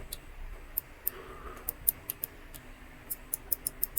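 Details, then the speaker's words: SCUF Reflex controller with a failed shoulder button, microswitch pressed directly with pliers: about a dozen crisp clicks in four seconds at an uneven pace. The switch works fine; the cracked plastic piece that presses it is the fault. "le bouton fonctionne mais ce qui pose problème c'est le plastique qui touche le bouton"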